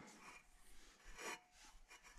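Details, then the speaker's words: Outboard lower unit from a 1972 14 ft Alumacraft row boat, disassembled, shaft turned by hand with vise grips after oiling the top bearing: uneven dry rasping and scraping, bearing sounds dry and rough; new bearings and seal kit planned. "guys can see in there it is spinning and you can just hear how dry that bearing is"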